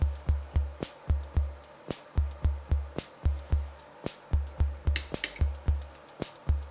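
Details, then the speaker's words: Soundmaster SD-3 Disco Beat after re-soldering a lifted transistor pad and replacing the trimmer: steady beat with bass thumps and crisp, bright hi-hat ticks in time; hi-hat output restored to normal. "where's the high hat now look what happens when I turn the trimmer that I replaced beautiful isn't it"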